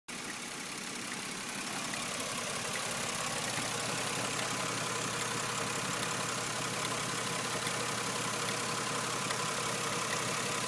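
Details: 4th-gen Nissan Maxima petrol V6 at steady idle with a light, fairly regular ticking over the engine hum, coming from the back near the IACV; cause unknown.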